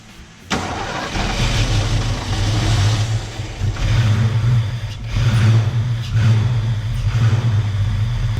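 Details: Ford Fox Body Mustang V8 after installing GT40 tubular upper intake and 70mm throttle body: catches and settles into a lumpy, surging idle with uneven rev blips; runs but ignition timing is incorrect and needs setting.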